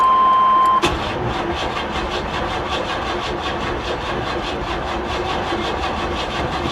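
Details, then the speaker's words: 1985 Chevy Blazer Tahoe at an insurance auction, cranked on a booster pack: chime, then steady rapid starter churn for several seconds, engine never catches; long crank, no start. "Come on, old girl. Nah. I'm gonna kill my booster pack. We're not gonna do that."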